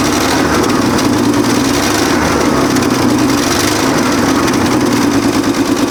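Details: 1965 Chevrolet C10, 292 inline six, first start after years abandoned, makeshift fuel tank and starting fluid; idle with sharp ticking puff over the exhaust; engine sounds good, exhaust leak at the exhaust manifold.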